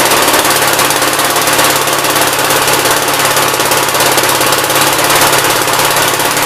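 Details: 1957 SR Gravely single-cylinder after top-end rebuild with 15-over rings: rapid even clatter with sharp exhaust crackle at steady idle, no misses. Idles decently and no longer smokes heavily as before rebuild; normal idle.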